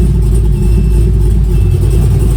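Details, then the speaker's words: 2001 Pontiac Firebird Trans Am with newly built 6.7L LQ4 408ci stroker, big cam, bigger injectors, lower compression, running on a redone original HP Tuners tune; deep loping choppy idle, running better, oil pressure fine, reading a little lean. "so this is basically a new rendition but this so far it's running pretty good or running better at least"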